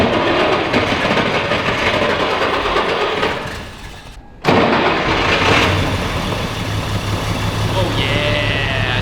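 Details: 1960 Mercedes 300D diesel, first start after refuelling, push-to-start with a fuel pump: loose diesel clatter settles into a steady idle just after starting, with no missing or knocking. The engine sounds healthy.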